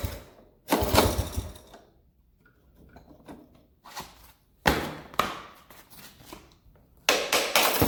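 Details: 1983 Honda ATC 70 three-wheeler, petcock not holding fuel, some gas in tank, choke on: three kick-start bursts, each a short thrashing turnover that dies at once, never firing; cranks but will not start.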